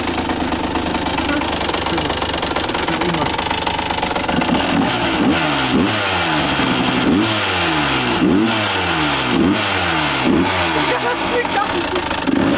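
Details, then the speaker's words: 150 cc two-stroke dirt bike with about 40 engine hours, bolts already retightened: rough, rattly revving in repeated blips with metallic clatter rising with revs, source hard to place; a broken, cracked piston found. "also selbst das hört sich an scheiße an man kann ja auch nicht identifizieren von wo das kommt"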